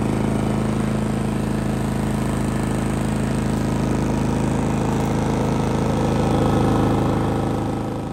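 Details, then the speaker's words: Genmax GM7500 iAED dual-fuel inverter generator on low idle, no load, right side at about 10 ft, 66–68 dB; run 9.5 hours without issues. Steady, even low hum, no knocks or surging; normal idle. "So not too bad. You can see it's pretty quiet. Right now it's on low idle."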